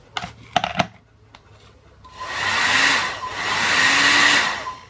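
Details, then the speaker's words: Hot-air brush hair dryer, reassembled after teardown: a dead click at the switch, then the blower motor surges on twice with an airy roar and drops out; intermittent power from the cord broken inside its insulation at a high-strain point. "it seems the cable is actually broken inside of the isolation. Which is not a surprise because it suffers a lot of strain here."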